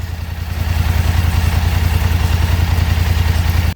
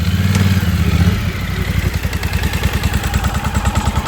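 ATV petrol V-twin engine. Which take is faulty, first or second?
second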